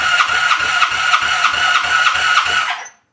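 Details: 1985 Honda Sabre V65 starter cranking in neutral during a compression test, plugs out with a little fogging oil in: even, steady cranking at roughly three beats a second, no grinding; normal, about 170 psi.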